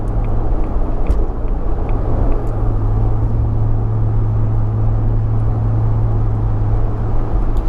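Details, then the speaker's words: 2004 Jaguar XKR V8 with upgraded exhaust, 4 of 5 silencers removed, under light load at 1400–1600 rpm cruising revs; deep steady droning boom, gone by 70 mph motorway speed: exhaust drone at cruising rpm. "So the boom only comes in from 1400 to 1600 revs, which is the typical cruising RPM and where the engine seems to be most happy."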